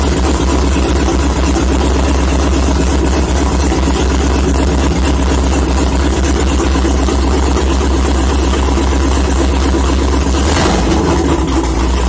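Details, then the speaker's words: LS-swapped Mazda Miata after a coolant system rework, started after an oil change: low idle runs about ten seconds, then stumbles and dies; owner suspects it ran out of fuel (only a couple of gallons in, no fuel gauge). "so uh what's it doing are we out of gas uh that was odd might be running out of gas"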